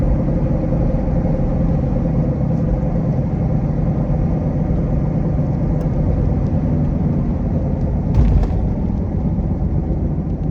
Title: What a bad bearing sounds like on a miata! #shorts #cars #miata #mazda #mx5 #drift #shop